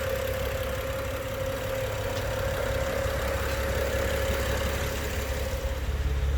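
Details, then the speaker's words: 2011 BMW 135i M Sport, automatic, 101,000 km, pre-purchase inspection, heard at the exhaust outside: steady, even idle hum with constant mid tone, no knocks, ticks or misses; runs nicely and quietly, normal idle. "take outside so you can hear the engine purrs nicely at the exhaust"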